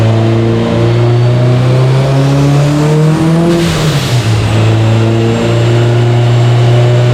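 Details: Subaru Forester STI with stock longblock, Precision 6870 rotated turbo and newly fitted coil packs, warm dyno pull under load: revs climb hard, then stumble and sag with ragged misfiring, and AFR goes lean; ignition breakup from a faulty crank sensor.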